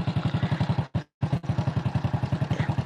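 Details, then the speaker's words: Honda Supra X 100 (NF100), unserviced three years, kick-started, noise on left side: dry clatter each firing pulse at about 220 a minute over steady idle; worn, stiff cam chain roller. "Pak ada suara ini Nah suaranya di sebelah kiri nggak di sebelah kanan kita ke sebelah kiri [Musik] nah [Musik] Ini masalahnya roll ketengnya Wah habis"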